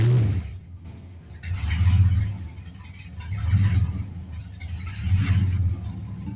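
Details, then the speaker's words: LS-swapped 1948 Ford F1 with headers and open straight pipes but a tune still set for mufflers and cats: a loud V8 idle surging up and down about every two seconds. Rough running; the owner suspects the tune and lack of back pressure. "so it's obviously not running quite right um I think one of the main reasons is because it's still got the stock tuned for the muffler and catalytic converters full exhaust"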